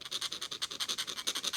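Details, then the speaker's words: 1978 Chevrolet Corvette C3, front wheel bearing turned by hand during front-end disassembly: gritty scratchy rasp pulsing about ten times a second, with smooth and rough spots; pitting ringing the inner race, needs replacing. "can you hear how rough that is here's a smooth bit right here's a rough bit"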